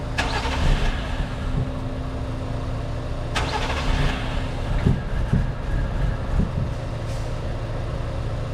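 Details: 1JZ-swapped Lexus SC300, second day of no-start, on jumper cables after cleaning: two short starter bursts, then low rough rumble with scattered pops, no clean idle; owner suspects a sensor clogged open.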